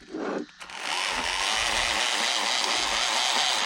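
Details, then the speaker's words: Hosim X07 RC truck on a 2S 5200 mAh pack after a diff repair, motor rotation reversed: harsh, steady gritty grinding over the whining motor, unchanged throughout. A screw caught in the diff gears, overtightened. "something's not sounding good yeah it definitely doesn't sound good this sounds terrible"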